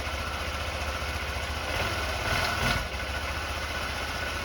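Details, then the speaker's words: Honda Elite 80 (CH80) scooter, after carb cleaning and hot-water soak of the diaphragm, warming up: steady idle with light rev rise, no sputter or hunting; fixed, owner unsure if carb junk or stiff diaphragm was the cause. "Boom, there we go. So we fixed the issue."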